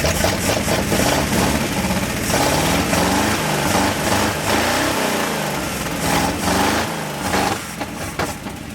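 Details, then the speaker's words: 1970 Dodge Power Wagon 200 Dude V8 plow truck, parked 40 years, fuel not drawn from the tank; fires and settles into a steady, slightly lumpy idle with no knocks. A healthy runner, and the plow works. "nice she's a runner oh I was cleaning out some cobwebs oh that's amazing the plow Works"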